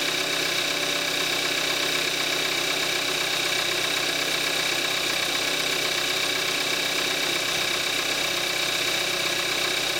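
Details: 2014 Kia Forte5 2.0 GDI, 41,000 miles, synthetic Amsoil 5W-30, cold start in May 2017, recorded on the camcorder's built-in mic: even cold idle with crisp ticking about four times a second; ordinary direct-injection injector noise.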